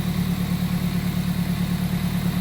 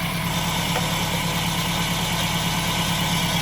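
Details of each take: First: Toyota MR2 Spyder test start just after fitting a new belt and pulley: smooth, even low idle with steady beat, no belt squeal or chirp; normal idle, though owner suspects a small intake vacuum leak. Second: Toyota MR2 Spyder petrol engine idling with a steady hissy whir that sounds like a vacuum leak, traced to a failed bearing in the heavy pulley on the belt drive.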